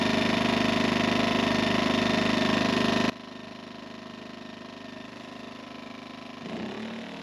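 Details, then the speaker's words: Generator, not in eco mode, powering a roughly 50-year-old electric motor that had been frozen up that morning and that a 1000 W Jackery failed to run; strained drone for three seconds, then drops sharply: generator labouring under load. "I guess that 50-year-old electric engine's got a little bit of drawl to it. So the generator without eco mode will run it, but it don't like it."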